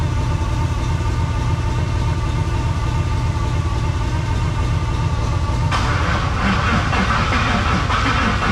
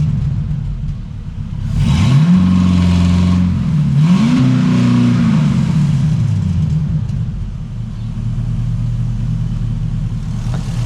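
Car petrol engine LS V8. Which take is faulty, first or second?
first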